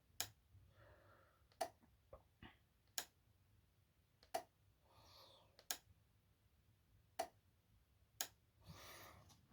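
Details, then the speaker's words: Train Tech RL1 relay controlled via Roco Z21, switched on and off: sharp single clicks about every second in a quiet room as the relay pulls in and drops out cleanly; working normally. "and as there when i was switching it on and off you can hear it clicking on and clicking off"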